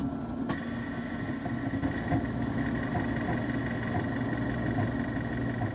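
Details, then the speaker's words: 5.25-inch floppy drive in a 20-year-old PC, read with ddrescue: a steady motor hum with uneven scratchy clicks and head chatter, sounding like it chews the disk instead of reading it. "I was expecting ddrescue to at least recover some of the data but that too sounded like it was chewing the disk rather than reading it"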